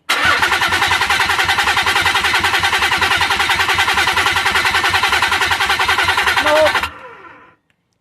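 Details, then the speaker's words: Nissan 300ZX engine making fuel pressure but crank no start: even starter cranking about seven seconds, never fires; no spark confirmed, coil packs suspected. "Okay, so we're crank no start. Probably don't have spark. The search continues."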